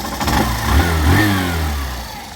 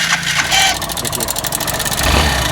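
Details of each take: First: BS6 motorcycle after replacing the cam chain tensioner (adjuster): throttle blips and settles smoothly, no rattle or ticking on or off throttle; before, noise came at idle and vanished when throttle opened. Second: BS6 motorcycle engine idling with a fast, dense metallic rattle from a loose timing chain; the noise stops instantly when the throttle is opened and returns when it is released.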